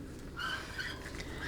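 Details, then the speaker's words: TH400/TH475 transmission rebuild, gear train assembly turned counterclockwise by hand: faint high chirping squeals come and go as the low roller clutch freewheels, a sign of a healthy roller clutch. "you hear that squealing sound that's a sign of a very healthy Low Roller clutch"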